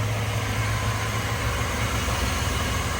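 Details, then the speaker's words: 1989 Land Rover Discovery 1 Rover V8 after service (oil, plugs, air filter, distributor points checked OK): deep, silky-smooth idle with steady low burble, no misfire or tapping; normal idle. "that is Silky Smooth really is Silky Smooth"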